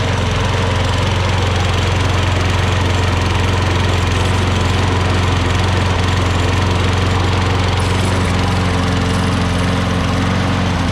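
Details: Craftsman electric-start self-propelled lawn mower, previously would not start or stay running: small single-cylinder engine holds a steady, even chug at constant speed with no misses or surging; running normally.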